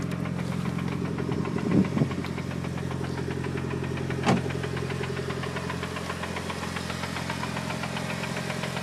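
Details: Newly bought Mitsubishi Evo 8 at idle: a light, fairly even knock ticks over a steady idle. The seller claims it is the clutch release bearing; the cause is unconfirmed.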